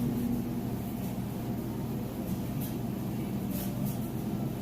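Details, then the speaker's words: Whirlpool electric dryer on timed dry, tested for resale: steady, even low rumble with no knocks, scrapes or squeals; drum tumbling smoothly, running normally, no weird noises. "can hear it's nice smooth sounds great no weird noises or anything like that"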